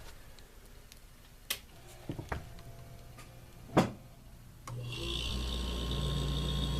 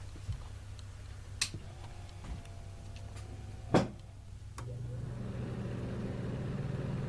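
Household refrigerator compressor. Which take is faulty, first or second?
second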